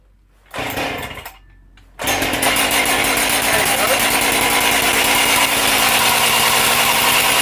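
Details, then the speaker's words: Husqvarna 268XP two-stroke chainsaw, freshly assembled, started stone cold: catches and holds a fast, high buzzing idle that differs every start; owner suspects cracked crank seals, unconfirmed; recoil also needs sorting. "to tell The Telltale of crack seals isn't it every time you start it up it's slightly different really high idle then"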